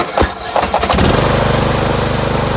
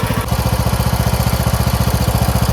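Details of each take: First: Craftsman MTD T1600 lawn tractor: labored, hesitating cranking on the compression stroke before it catches, then a steady idle; owner suspects a broken automatic compression release (ACR), later replaced along with the camshaft. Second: Craftsman MTD T1600 lawn tractor with 46-inch deck, first start after camshaft (ACR) replacement: normal idle, even rapid firing pulses around fifteen a second with no skips or knocks, smooth and healthy.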